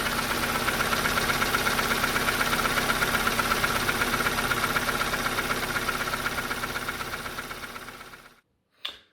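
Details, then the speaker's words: Opel/Vauxhall Astra H Z16XEP twinport after refitting the repaired lower inlet manifold: steady fast rattle, about four ticks a second, over idle until shutdown; manifold now ruled out, source sounds near the back, still unknown. "as you can clearly hear in the video there, the engine is still rattling quite badly. Pretty sure now it's not the manifold and it's something else."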